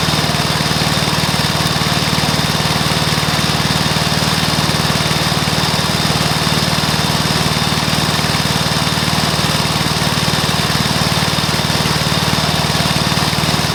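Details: Probably early-1984 Briggs & Stratton mower engine, first start after new piston, rings and valves to cure oil consumption from loose rings and worn valves: smooth, even, steady single-cylinder beat at constant speed, no knocks or misses; normal running.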